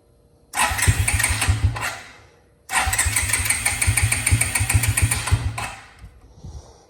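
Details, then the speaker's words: 2002 Suzuki King Quad 300 4x4, cold, choke on, some throttle: two long bursts of cranking with uneven chugs that never catch into a run; cold engine reluctant to start. "It might not start cold. Give it some throttle. Almost there. Hold on."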